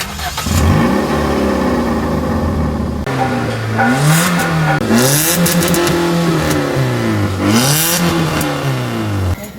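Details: 2017 Hyundai i20 engine revving: loud, harsh, blatting exhaust note that grows on acceleration, from a faulty, corroded, cracked exhaust pipe leaking.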